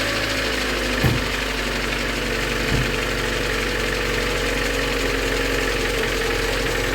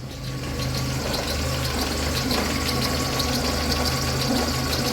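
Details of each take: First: VAZ 2112 with unstable running, after timing-belt inspection, new plugs and new crankshaft pulley, at start: steady even idle with light lifter tick, no timing belt whine or chirp; pulley runs true, no wobble. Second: VAZ 2112 with unstable running, warm idle: light uneven ticking and rough chatter over the engine note; worn noisy timing belt idler pulley, and crankshaft pulley wobbles, owner suspects it may affect running.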